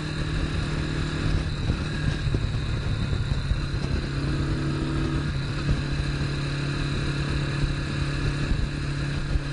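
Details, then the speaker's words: Honda CB450 K0 twin with about 5,000 miles cruising at about 50 mph, a little over 5,000 rpm; even, steady drone under some wind with no knocks or misses, the model's typical handlebar buzz felt; runs healthy. "Alright, we're going about 50, a little bit over $5,000. And here you can really feel through your feet, through the handlebars. One of the complaints about the KO model is the buzz through the handlebars."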